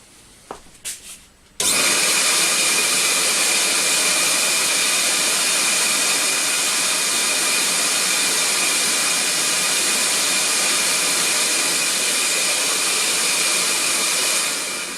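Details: Record Power CamVac CGV286 twin-motor dust extractor, one motor switched on, meter about 2 m away rising from 52 to 79 dB; settles into loud steady high-pitched rushing whine, no wavering or rattle; normal running.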